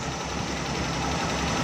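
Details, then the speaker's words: Suzuki Bolan/Ravi at idle, missing; low idle with uneven beat and occasional dropped pulses as a cylinder misfires from a spark plug shorted by water; misfire from shorted spark plug. "अब तो दोस्तों wire भी नहीं कम करती तो गाड़ी missing करना शुरू कर देती है"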